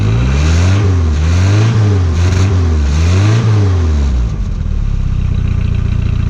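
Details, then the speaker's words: 1986 Nissan 720 pickup with a stock cat, 2-inch pipe and restrictive muffler, before a header install: a quiet, low engine note rising and falling through a few revs, louder than the exhaust, with a faint rattle underneath. Exhaust rattle. "just you can hear the motor louder than the exhaust which really isn't my style plus it's got a bit of a rattle which really bugs me"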